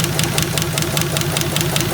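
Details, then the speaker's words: 1951 Buick straight-eight with Dynaflow, abandoned restoration, first run after long sitting: quick, even ticking about five per second over a steady warm-up idle, valve train clatter from the top end. Coolant already cycling, likely no thermostat. Valve train noise at idle. "you know that's indicative of all this valve train noise already."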